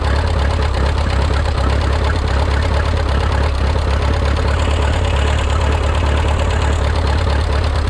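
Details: Minneapolis Moline 335 tractor, engine just rebuilt: loud, low, uneven idle with irregular thumps and stumbles. Owner says it isn't running right and needs tuning, possibly timing; tappet gaps were readjusted warm.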